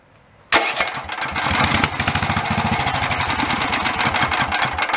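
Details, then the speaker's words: Greyhound 11 HP Lifan Honda-clone single-cylinder after carburetor clean and enlarged main and low-speed jets, started on the key: fires almost at once, settles to quick even beat; starts and runs cleanly. "braggin my Ford will start like this just a little quicker"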